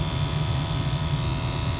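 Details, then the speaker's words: 2005 Pontiac Wave (Chevy Aveo) HVAC blower, fan stopped on speed 4, after striking motor with rubber mallet: low uneven drone as it struggles to run, high speed gone; failing blower motor, high-speed circuit also being checked. "not very happy High speed's gone"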